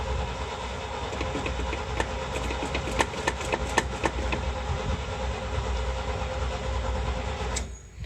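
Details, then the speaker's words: 1977 International Super Scout II V8, 4-speed, 4x4, after sitting a week, choke not closing properly: just started, deep, fairly even burble with some clatter; motor sounds healthy; normal running. "I'm only doing this so you can hear the motor run. The motor actually sounds good."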